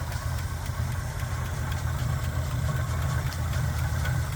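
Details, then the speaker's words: Chevrolet K10 pickup, 5.7L small-block V8, at idle: light regular ticking about twice a second over the steady V8 rumble; judged not normal, source not confirmed. "c'est déjà un peu le tic-tac de l'isolation du câble d'allumage je n'ai pas vu ça non plus mais bon c'est probablement à des fins d'isolation de température ou quelque chose mais le tic-tac n'est certainement pas normal"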